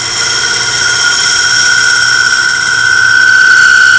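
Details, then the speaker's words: Segmented maple bowl on a lathe being cut with a slightly radiused scraper: a steady high-pitched ringing squeal through the cut as the thin bowl wall vibrates and chatters against the tool. Steadied by placing a hand on the outside of the bowl. "hear that high pitch sound that's this bull vibrating this is where i put my hand on the outside for steady"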